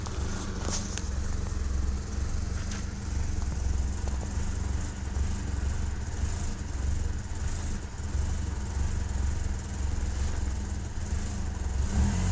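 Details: Toyota Camry idling; steady low drone with uneven lumpy beat and occasional stumbles, suspected misfire.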